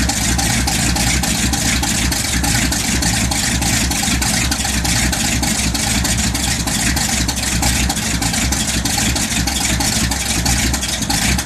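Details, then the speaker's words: 1979 Ford F150 cold start at 15°F with choke out: loud fast, slightly uneven idle that won't settle, needs a little gas, sounds better after. "Sounds like I need to give it a little bit of gas. Yeah, let's try that again."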